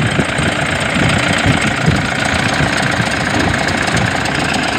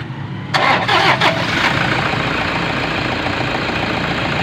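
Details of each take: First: Toyota Innova with battery warning light on, running: loud uneven rattling chatter from front of engine bay; suspected alternator bearing or overrunning clutch pulley. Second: Toyota Innova with loud noise and battery warning light: short crank, engine catches cleanly and settles into even steady idle with no chirp or rattle; normal idle.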